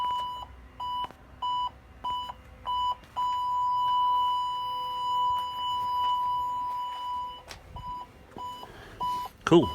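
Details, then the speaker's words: 2012 Fiat 500 TwinAir with a freshly installed Hawk reverse parking sensor kit, ignition on and in reverse; clear beeps about twice a second merging into a solid tone as an object gets close; the sensor is working properly. "So if I stick it, I turn the ignition on, put it into reverse, it gives you the beep."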